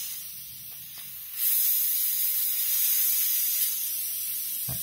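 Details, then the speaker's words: Seiko SKX007 diver's watch with sapphire crystal, new seals, SARB059 crown and aftermarket caseback, pressurised to 11 bar in air and then immersed; after quiet, a sudden steady hiss with faint bubbling; air leaking from the caseback's machined recess, not the seal. "yeah not coming out of the seal I thought it would actually coming out of the machined recess or opening the case back which was my first real pressure test fail"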